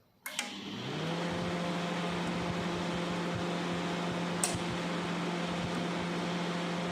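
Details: Sharp R-241 microwave brought in not powering on (fuse suspected blown), run while checking the control board and relay contacts: a click, then a steady low hum with even fan rush; running normally.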